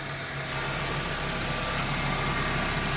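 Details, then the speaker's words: 2011 Honda Civic idling on a cool morning after fixing AC clutch not engaging and blower not working: smooth idle with added hum as the compressor kicks in and out; normal, cooling well. "And as you can see, our compressor is kicking on. It's a cool morning, so it's normal for it to kick in and out because it doesn't need to run very much."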